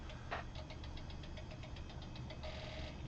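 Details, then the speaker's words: 360 Systems Instant Replay 2.0 radio soundboard from about 1995–97, at boot: low hum with fast even ticking and a faint thin tone as the old SCSI hard drive spins up, louder than it should; later replaced with SCSI2SD. Noisy drive spin-up. "That's the hard drive spinning up, which is sort of a problem."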